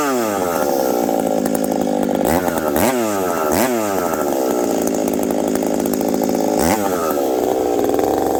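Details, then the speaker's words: Husqvarna 372XP chainsaw fitted with a new bolt-on UFO pipe, warmed up at about -30 to -40 °C, cutting frozen ash: screams up, bogs slightly rich in cuts with faint burble; healthy tune with light four-stroke, high jet already leaned a smidge. "this thing nice healthy four stroke I probably could have leaned it out even a little bit more"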